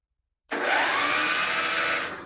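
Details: Contax tractor engine being revived, spark plug out for a spark test: starter spins up at once to an even, steady whir for about a second and a half with no grinding or dragging; starter healthy, strong spark follows.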